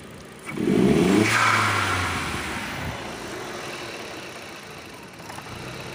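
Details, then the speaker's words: SEAT Leon mk1 1.8T with a new TiAL blow-off valve on its soft original spring: quick rev rising, then a hissing rush as revs fall. The valve seems to leak and stay open; a stiffer spring is to be fitted. "¿Ven? Como que tiene fuguilla. Entonces vamos a cambiar el resorte porque trae otro resorte."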